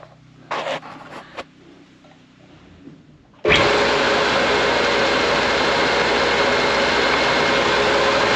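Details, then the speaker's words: Air compressor after new pressure switch fitted, tank bled to zero: sudden start then steady loud fast even pump chug, no knocks or squeals; normal running. "Tank was bled down to absolute zero, so with the new switch in there, let's wait for air to come up. Starting to hear it huff and puff a little bit."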